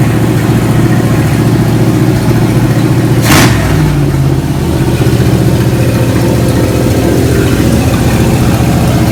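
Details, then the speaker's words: 1987 Monte Carlo SS abandoned 20+ years in the Arizona sun, first start after cleanup: steady, slightly fast idle with even low rumble and one brief blip; running evenly, just idling a bit fast. "test fire says it does idle so a little fast but that's okay"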